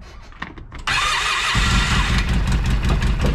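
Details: Polaris RZR 800 after rod bearing repair, small petrol engine cranks, catches and settles into an even idle with no knocking.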